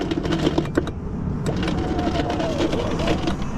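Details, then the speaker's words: Car power window run with the switch; the motor, switch and wiring work, but whirring with uneven clicks and rattles comes from inside the door as the cables unravel: regulator coming apart, probably broken plastic pulleys. "that's the power uh window regulator it's coming apart inside the door probably plastic pulleys and stuff that broke"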